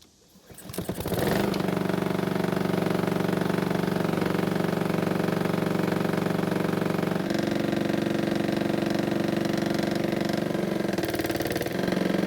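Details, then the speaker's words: Honda mower with an apparently bent crankshaft, indicated by blade bolt wobble; possibly from hitting something hard while mowing or warping from heat after running with little to no oil for a long time: busy idle with steady, fairly regular thumping about three times a second. "it would seem that the crankshaft is bent from either hitting something that shouldn't have or it could have warped from the heat because there was little to no oil in the engine for a long time"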